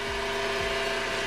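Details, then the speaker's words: 2012 Smart ForTwo, about 92,000 miles, sat 7 months, at idle: steady mid-pitched whine over idle, unchanging; noise traced near alternator, new belt fitted, pointing to worn alternator belt tensioner. "Okay, alternator is here. Tell you straight away, or have somewhere the cracks, or specifically the noise coming from the here."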